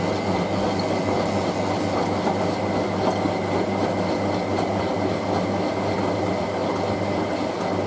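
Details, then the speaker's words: Hotpoint 9530W Electronic 1000 Plus washing machine on its final spin, Programme 2 at 60°C colourfast cotton with a bed throw: a heavy, even low rumble with a thin whine on top, cabinet visibly flexing; loud rumbling, cause not pinned down. "That's even worse than the last one. She's showing off with the camera now. Oh my god. See the whole way the cabin is flexing right now. That sounds horrible."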